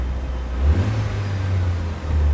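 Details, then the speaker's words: Auction turbo car with just under 250,000 km, low on fuel, A/C working: deep even engine note rising and falling smoothly through short revs with a slight turbo whistle, no knocks or misses; sounds healthy. "you can hear the turbo whistle a little bit sounds really healthy"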